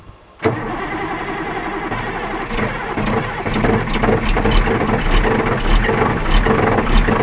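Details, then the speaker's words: 1984 Ford L8000 with Caterpillar 3208 diesel, unrun for 3–4 years, fuel system primed: cranks and catches within half a second, settles to an even steady idle with a slight rev rise; normal start. "that's good fuel pedal stuck on all right we're going to box up our batteries here but that's I mean that damn thing's bur like a kitten listen to that"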